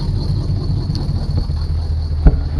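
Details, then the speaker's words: 1976 Chevy Chevelle auction car with Edelbrock carburetor, revived after sitting: steady low rumble with even beat and no top-end ticking or clatter; engine running healthy, no choppy cam. "sounds like okay I was hoping for a big old choppy choppy cam it ain't got it"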